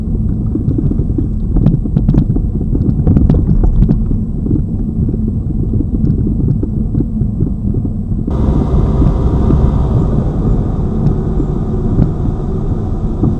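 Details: Lada Vesta Cross, old original right front strut (only the left was replaced under warranty), dashcam aimed at the right strut mount, mount insulated with rags, driving over bumps: sharp irregular thumps with each bump over road rumble; the strong knock persists.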